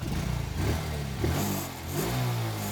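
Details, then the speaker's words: Smash Titan motorcycle, nearly 13 years old, started after the loose muffler was tightened: the engine revs up and settles smoothly with a clean, even note and no exhaust rattle; quiet, healthy running. "Yun, oh. Tahimik na. No? Akala mo, overhold. Yung pala, muffler ano lang, no? Maluwag lang."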